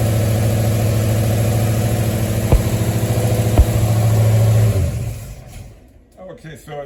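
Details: 1973 Mustang idling after a 1G-to-3G alternator conversion: smooth, even low rumble with no knocks, ticks or belt squeal before it fades away. Charging at about 14.2 V and roughly 11 amps; engine healthy.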